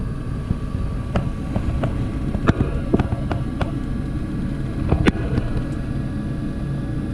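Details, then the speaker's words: Carrier Infinity propane furnace after birds removed from blocked flue pipe and inducer reinstalled: steady low inducer and burner hum with a few light clicks, nothing uneven; normal operation after repair. "that's what it's supposed to do"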